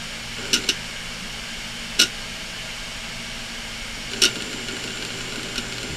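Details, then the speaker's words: Western Digital 160 failing desktop hard drive running with its cover removed. A quiet steady spin with sharp, irregular head ticks roughly every two seconds; the head parks on the platter and may have been damaged when the cover came off. "now the Western n 160 doesn't seem too happy now that I've taken it cover off"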